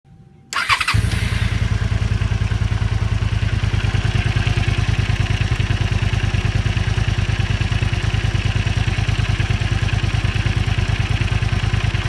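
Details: Zelvis 250, cold idle thumping about three times a second with a light metallic rattle on top; owner suspects cam chain tensioner not tensioning so chain rubs; noise disappears once engine warms up.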